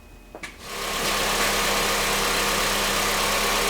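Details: 2009 Honda CRV after vacuum brake booster replacement for a check engine light: catches after a brief crank and settles into a steady, even idle with a fairly loud hiss; engine a little loud.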